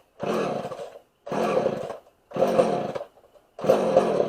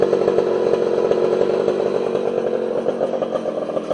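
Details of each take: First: Homelite 240 chainsaw, suspected over-fuelling, after the low jet (was out about eight turns) was turned in a full turn and the high jet adjusted: four short bursts that catch and die, then it keeps running longer, with erratic revs. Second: Homelite 240 two-stroke chainsaw after adjusting the low and idle jets on the carburetor: steady, even high-revving buzz with no surging or stumbling; holds speed cleanly and runs healthy.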